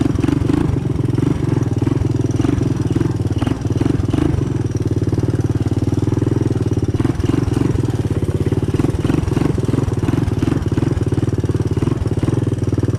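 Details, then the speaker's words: 1985 Honda ATC 200M single-cylinder, running on a new cheap Chinese carburetor, first run in a year or two: fast, even idle with a light ticking on top; front valve clearance too loose, needs adjusting. "So you can see she runs really good. You can probably hear that front valve there. I gotta adjust the valve clearance, but keep in mind it's the first time this has been running now in a year or two."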